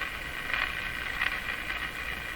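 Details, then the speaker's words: Canadian Westinghouse Model 684 radio after IF bypass cleanup, shortwave 9 MHz band at full volume: steady high hiss with faint rising swells, no stations received, set not converting signals though broadcast band works; cause not yet found. "It sounds like dirt. It's picking up dirt. It's a dirt radio. Full volume. Again, doesn't seem to be converting anything."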